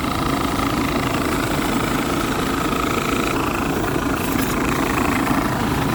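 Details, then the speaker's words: Dometic RV roof A/C unit installed about 6 months earlier, running: constant fan roar with a steady scraping hiss. The blower wheel came loose and sits off-center, rubbing on its plastic shroud. "all right so you guys should be able to hear that horrible noise that's the fan rubbing on the plastic here"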